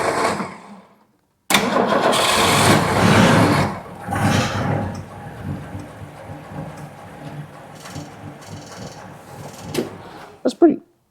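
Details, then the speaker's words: Cold start of a 60-year-old 1962 Ford Fairlane 500 with three-on-the-tree manual, choked, no gas pumped; cranks, catches and settles into a slow, uneven idle that might stall; idle speed set too low and needs turning up. "60-year-old car. I do think I need to get that idle turned up."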